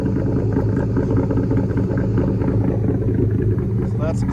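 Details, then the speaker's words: 2004 Mustang Mach 1 V8, stock exhaust with Borla cat-back, cold start after sitting: deep even rumble held at a raised steady idle with no knocks or misses, dropping as it warms; normal cold-start high idle. "but typically with the the cold start, it idles high. As it starts getting up to temperature, it falls down on RPM and the note comes down a little bit, but it's got a a very nice tone to it."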